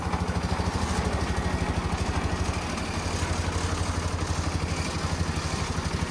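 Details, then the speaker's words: Old Dynapac diesel drum packer, revived after sitting unused for years, with the vibrator engaged: a big puff of smoke, then deep heavy thumping about three beats a second as the engine labours under load. Owner suspects very old diesel. "And you'll see just a huge puff of smoke. And when you fire it up, that engine just starts to labor."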